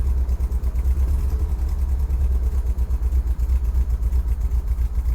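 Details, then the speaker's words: 1977 MGB, 70,472 miles, engine 18V883AE-L7967 with SU HIF4 carburetor, just started cold with choke and throttle held slightly open to warm up: steady low rumbling with fast even pulse, no knocks or rattles, good oil pressure; normal cold warm-up. "you want this thing idling about 10,000 RPMs. So you might need to give it a little bit of gas."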